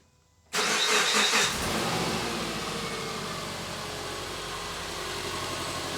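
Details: Subaru with about 15 years and almost 200,000 miles, first start after fuel injector and O-ring work, intake tube left open to check for leaks; catches right away with a short flare, then steady, even idle without misfire; normal start.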